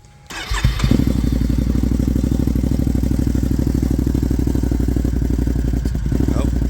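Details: 2021 Can-Am Outlander 570 XMR at idle after fuel pump replacement and fresh fuel: uneven, lumpy idle pulsing about three beats a second with irregular stumbles and a squirting/ticking burst from inside the airbox; still not fixed, owner suspects the K&N air filter.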